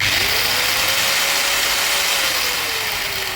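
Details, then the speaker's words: Hand angle grinder with a dry gearbox, before servicing: a loud, harsh grinding hiss and knocking over a steady high whine that sags slightly as it slows; the gears need cleaning and fresh grease. "लेकिन इस इससे कई ज्यादा दरवाजे पर दस्तक की आवाज आ रही है।"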